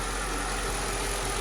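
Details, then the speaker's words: 2006 Mercedes CLS500 (C219) V8 after replacing two faulty coil packs that caused misfires: smooth, even idle with steady low hum, no stumbles; smoke from leaking valve cover gasket oil burning on exhaust manifolds. "All right, so the car runs smooth too. I'm happy about that."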